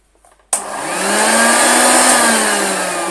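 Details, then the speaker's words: Hoover Junior Dirtsearcher 1354A vacuum as received from eBay: motor spins up to a steady high whine with a wavering drone, running off-centre and out of balance; armature or belt pulley suspected, crud seen under pulley. "It's the motor. It's really vibrating. In fact, if we let that stop, that's not turning straight."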